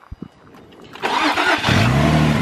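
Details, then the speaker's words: Infiniti G35 not started in one to two years fires after a few clicks and a quick crank and settles into a smooth, steady idle, fan moving: normal start and idle. "she started man look at that fan moving beautifully engine purring"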